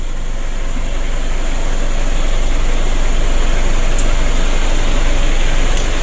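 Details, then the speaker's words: Ford Ranger diesel that was losing lots of oil and would not rev high, idling with intake air hose removed: steady rhythmic chuffing at the open intake, a compression leak traced to incorrect valve clearance. "ini ada terdengar suara seperti kebocoran kompresi ini sudah kita atasi bahwa celah klep nya ada yang bermasalah"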